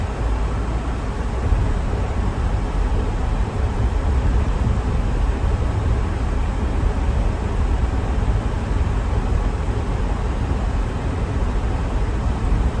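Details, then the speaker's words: Mercedes G500 driving with the air conditioning off, accelerating from a stop sign: steady low road and engine rumble with no clunks, squeaks or rattles; shifts smooth, drivetrain and suspension sound healthy. "turn off the air so you can hear there's no excessive clunking or squeaking or rattling kind of give it a little bit of the beans at the stop sign here"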